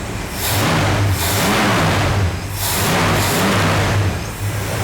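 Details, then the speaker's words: 1965 Ford Falcon Sedan Delivery barn find, first start on old fuel with leaking, empty radiator: low uneven idle surging and sagging about every two seconds; owner suspects carburetor and bad gas. "So, as we saw, it fired right up and idled. It's kind of low, but that's probably due to the carburetor and the bad gas."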